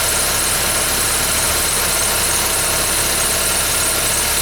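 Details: 2011 Ford Fiesta with about 10,000 km: on a cold start a harsh, hissy, high-pitched squeal sits steadily over the idle from the engine bay without changing; the source is not pinned down.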